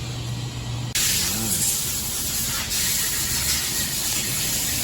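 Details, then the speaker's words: 2007 Honda Civic during an AC replacement, with the condenser and AC lines being flushed of black debris ("black death") using a whole can of flush; steady, loud hiss of pressurized flush and no mechanical noise. "I don't know if the iPhone's catching the noise, but he's flushing it."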